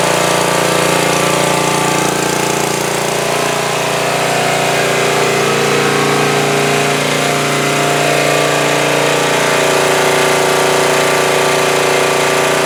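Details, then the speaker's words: 2002 Coleman Powermate 5500 generator after carburetor cleaning and motor mount repair, air filter off, started on choke then switched to full run: steady, even drone with no hunting or surging. Normal running. "yeah that started very easily I had it on immediately put it to full run and it ran great"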